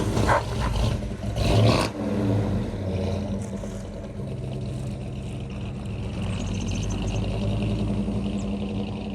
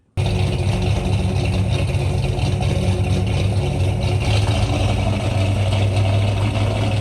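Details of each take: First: 1963 Ford Galaxie 500, dual-carb 390 V8 with manual gearbox, test drive after a leaking carb float with a bad solder hole was fixed: deep rumble pulls away and settles into an even, steady drone, no stumbles or misses; running properly. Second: 1963 Ford Galaxie 500, high-compression dual-carb 390 V8, first start in the car: catches at once but runs ragged with an uneven low rumble, so it was shut down; bad gas suspected, as it ran fine on the run stand.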